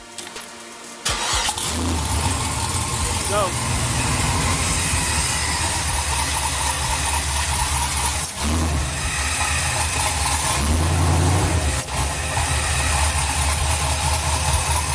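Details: 1986 Monte Carlo SS G-body with LS1 5.7 swap, Hooker headers, Sniper EFI; first drive after replacing melted battery-to-starter positive cable and engine ground. Starter cranks briefly, V8 settles into strong steady lumpy idle, no knocks or squeals; healthy start.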